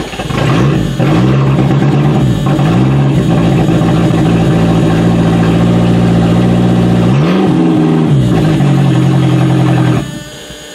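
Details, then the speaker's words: Used Toyota being readied for demolition derby: the engine revs rough and uneven, sounding like it is missing on a cylinder, then dies as soon as the foot comes off the gas. Stalls when throttle released. "As soon as you take your foot off the gas, it dies. Ooh, this does not sound pretty. It sounds like it's missing on a cylinder. But it runs."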